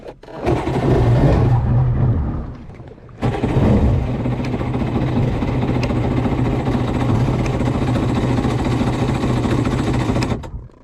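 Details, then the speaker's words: Polaris SL750 jet ski on a cold 38°F lake day, engine cranking steadily about four beats a second, pausing, then cranking long without catching; no-start, owner suspects a nearly dead battery is contributing. "this ain't going to happen we tried we failed miserably good deal I think the battery is almost dead as well so I don't think that's helping a whole lot either"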